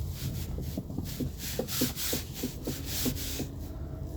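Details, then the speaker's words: 2017 Volkswagen Polo sedan, 74,000 miles, on the road: quick hollow clunks about four a second from the front; suspected worn sway bar end link, to be replaced as a set. "Из передней части автомобиля доносится характерный стук."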